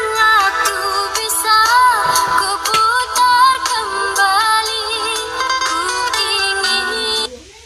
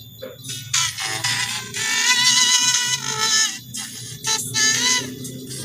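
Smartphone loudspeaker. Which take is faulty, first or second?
second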